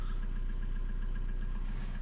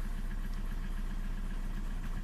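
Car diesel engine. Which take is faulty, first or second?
second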